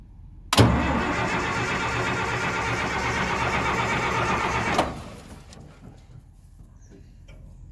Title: Foot pumping hard start D5